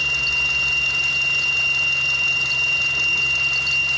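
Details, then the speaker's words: Car engine running, checked with a stethoscope: steady high-pitched whine over low engine hum, traced to the water pump bearing; the alternator bearing is also affected. "ternyata dia didapati bunyi dari water pump water pump tuh sebelah sini tapi ini bearing alternatornya juga kena"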